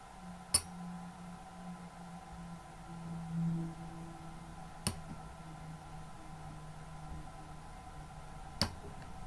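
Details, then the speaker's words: Laptop hard drive opened for data recovery: three sharp isolated clicks several seconds apart in a quiet room as the jammed read/write heads are pulled free by turning the spindle counterclockwise; heads were badly stuck, drive may not work. "As you could hear, that sounded like they were really stuck, so I have no idea whether this drive is actually going to work after being so stuck."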